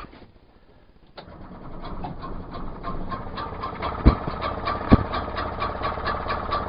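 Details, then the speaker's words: Outboard on an Achilles 24ft sailing yacht, started with the choke just after the wrong B6HS spark plug was replaced with the correct B7H: silent at first, then it catches and settles into a steady idle with a few pops; normal idle, not yet warmed up. "that's better i'm happy absolutely brilliant i can't be happy with that result yeah i'll let that warm up and see what it sounds like"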